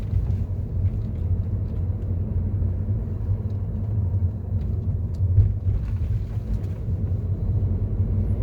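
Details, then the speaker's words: 2015 Mercedes-Benz W212 E-Class after repair; the owner had a front driver-side noise despite repeated suspension part replacements. The ball-joint bearing was suspected, and on the post-repair unpaved-road test drive only a steady rumble is heard, with no clunks or rattles. "바꿔서 스쳐가면 다 좋네요"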